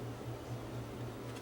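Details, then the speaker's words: Crest Audio VS900 power amplifier with fan slowed via 680-ohm 20-watt resistor: fan starts fast then slows to a low steady hum with soft even whoosh, no rattle or ticking; quiet while still moving adequate air. "so now take a listen to how quiet this is you'll hear it first start up fast and then it'll slow down i think i can live with that and it's still bringing a fair bit of air"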